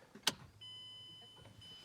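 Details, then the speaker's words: 2012 MazdaSpeed 3 after installing AutoTech HPFP internals, key cycled on and off before first start: click at key-on, then steady high whine with low hum for about a second that cuts off; fuel pump priming normally. "If you can hear every time, you'll hear the fuel pump priming itself."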